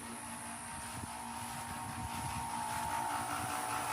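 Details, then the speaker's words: Home AC not cooling, indoor 85°F, outdoor condenser unit: steady compressor hum with a faint whine and no fan whoosh; compressor runs but condenser fan does not, cause not yet diagnosed. "Okay, we got no fan. No fan. No fan. You hit a compressor, but no fan running."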